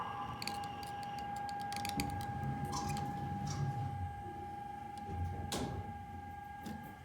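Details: Elevator announcement speaker in a shopping mall giving a steady mid-pitched tone with scattered clicks between floor announcements, an abnormal noise suspected as the announcement system starting to fail.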